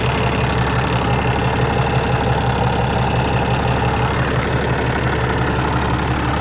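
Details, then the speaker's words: Peterbilt with an ISX Cummins CM2250 at about 829,000 miles, after repairing a front structure oil leak: air dryer purges, then a steady, even diesel clatter at idle with no skips or extra knocks while checking for leaks; healthy. "you'll see the air dryer purge on it and we'll idle it back down see what it sounds like check for leaks make sure we did everything right"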